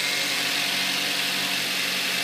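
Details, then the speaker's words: 2005 Kia Spectra converted to flex fuel with E85 kit, running E85, just started: steady even idle with smooth hum, no misses, knocks or rattles; engine runs smoothly. "the engine it runs everyone's pretty smooth it runs it runs well"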